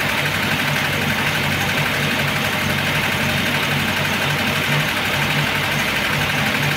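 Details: Engine at full operating temperature after warm-up (had not started for a day and a half), carburetted: busy light clatter from top of engine over uneven beat, oil pressure light flickering when hot; heavy wear of camshaft and its bed, camshaft knock.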